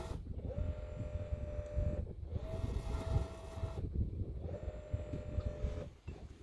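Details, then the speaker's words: Boat autopilot hydraulic steering pump on an outboard failed after a few fishing trips: the motor whine cuts in and out in one-to-two-second runs over a low rumble while the outboard does not move. Owner suspects overheating, voltage or settings; unconfirmed. "you will hear that the pump is operating but the outboard is not move so okay just look and then we will discuss"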